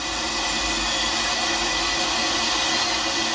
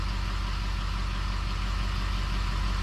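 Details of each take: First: 6.0 Powerstroke with rebuilt engine (new block, heads, rotating assembly) under air test, engine off: loud steady hiss of air escaping at the high-pressure oil pump discharge fitting, still leaking after a Ford standpipe was fitted; the bolts were found yielded. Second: 6.0 Powerstroke diesel with rebuilt engine, idling: deep, even idle pulsing about three times a second with no knock or miss; engine idles healthy.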